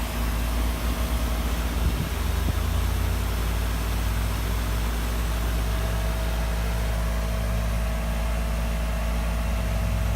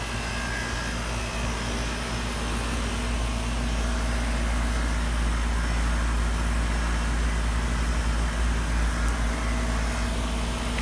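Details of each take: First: 2003 Carrier 3.5-ton central AC, a few minutes into its first startup of 2018: steady, even low hum with no knocks or rattles; the compressor has smoothed out after starting rough, with air reading about 53 degrees. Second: 2003 Carrier 3.5-ton central AC on its first startup of the 2018 season: heavy, low droning rumble with an uneven pulsing throb; the compressor runs rough at first, then sounds normal after a few minutes.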